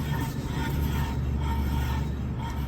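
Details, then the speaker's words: Ford raised off the ground with wheels spinning: steady low droning hum with faint pulsing ringing, plus some brake noise; failed wheel bearing confirmed with a stethoscope. "my boss ran it and with stethoscope you can definitely tell this is the wheel bearing that is out"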